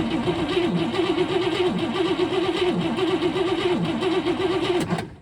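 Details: Abandoned 1961 Cadillac V8 with points ignition after setting firing order: slow, uneven starter whirr about one crank per second that never catches; points need filing and a good battery is needed.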